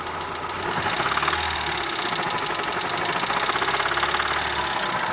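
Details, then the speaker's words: Daewoo Lanos 1.5 engine: rough rapid knocking rattle that worsens with throttle; persisted after all hydraulic lifters were replaced; head removal showed a damaged piston knocking. "Вот, стучит. Сначала подумал, что компенсаторы. Взял, вот, поменял все компенсаторы. Стук не ушел."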